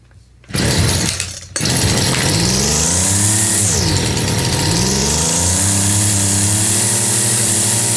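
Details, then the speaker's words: 25cc Craftsman two-stroke line trimmer run on fuel poured in, before carburetor rebuild: sharp start, then high buzzing that revs, dips and climbs again; sounds strong and kicks back a little, unsure it can draw through the carburetor properly. "got sounds like it wants to run almost hold on it sounds kind of strong yeah she does kick back a little"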